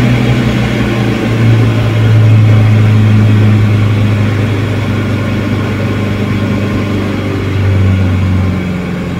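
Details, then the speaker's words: 1989 Ford Pampa CHT carbureted engine (alcohol fuel) after carburetor kit replacement, cold and still on partial choke; steady firm low idle with slight swell, running evenly without hunting: normal cold idle on choke. "ele vai morrer ainda porque não tá bem quente né ó lá ó ainda tá com o afogador um pouquinho"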